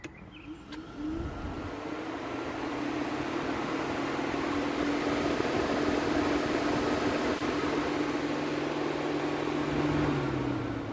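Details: Vauxhall/Opel Astra J after an engine replacement for a bad head gasket; radiator fan activated at speed one through diagnostics. Fan spins up to a smooth, even whir with no rubbing or rattle; it operates normally despite the complaint of not kicking in at 90°C.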